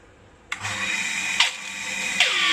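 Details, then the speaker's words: New Hitachi water pump with tank, loud noise from rear of motor where cooling fan sits; bright high whine surging in three spin-ups then sagging; bearing suspected at first. "ซึ่งก็เท่าที่ดูนะครับเสียงดังเนี่ยมันเกิดมาจากแถวๆจุดนี้แถวตรงด้านท้ายของตัวมอเตอร์นะครับซึ่งตรงนี้มันจะมีใบพัดอยู่นะครับ"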